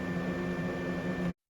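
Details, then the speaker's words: Old 3-speed Fan-Tastic RV trailer roof vent fan on its third, highest speed before replacement with a MaxxFan Deluxe; steady loud droning hum with low buzz and thin high whine, vibrating the roof slightly. "and here's the third speed the highest speed so as you can hear it's pretty loud it's actually vibrating the roof slightly"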